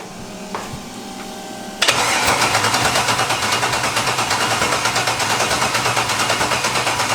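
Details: LS-swapped budget Mustang drag car, first start after tune loaded: starter spins engine with even pulses about three a second but never catches; no spark at plug wire, likely no power to coils.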